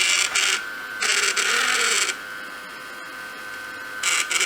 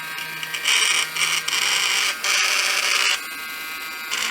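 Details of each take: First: Samsung Jet 90 Pet vacuum turbo brush, lightly used, after tightening a screw and reassembling: uneven rattly bursts over the vacuum's high hiss, something still jumping in the brush drive; owner suspects the pulley's sliding bearing point needs grease. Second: Samsung Jet 90 Pet vacuum turbo brush after disassembly and repair, with the belt not yet replaced: steady high-pitched motor whir with brief dips, no rattling, and the loud whirring clearly improved but not perfect; normal running.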